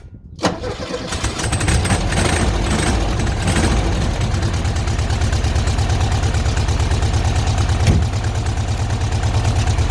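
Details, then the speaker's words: 1971 VW Beetle with a non-original 1500 flat-four in place of the 1300: brief crank, then it fires and settles into an even, steady idle with no knocking; a healthy cold start, no crank end float. "And she runs a treat, but it's not the original engine. It should have a 1300, but this has got a 1500 in it. But it does run really sweet."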